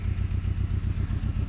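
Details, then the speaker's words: Saab 9-3 Aero after ATF cylinder soak and water steam cleaning for low compression, exhaust leak present: lumpy idle with regular stumble several times a second; misfire, owner suspects cylinder four. "so you can clearly hear that it's clearly missing"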